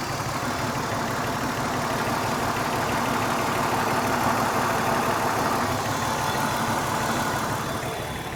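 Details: BMW 328i idle with a faint lumpy beat about three times a second, like one cylinder not pulling its weight; owner suspects it is running on 5 cylinders, cause not confirmed.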